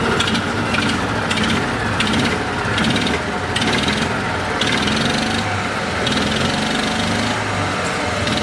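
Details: Argo ATV small engine, idling after a clutch spring adjustment. A dull clunk is heard under a rhythmic rasp; owner says the remaining clunk is the exhaust, while the finding points to worn crankshaft bearings.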